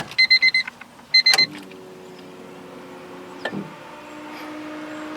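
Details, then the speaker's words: 1996-2000 Honda Civic after installing a 255 lph replica Walbro fuel pump: key-on chime beeps, then a steady, even electric hum as the pump primes, sounding healthy. "I'm gonna show you now what it sounds like when you primed a fuel pump"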